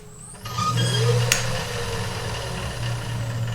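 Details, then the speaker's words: Woodturning lathe spinning up with a heavy resin-and-walnut casting: low motor hum with a thin whine rising in pitch; drive belt whines under the heavy load, which it usually doesn't. "I know one thing, it's heavy. When I turn this on, my belt whines."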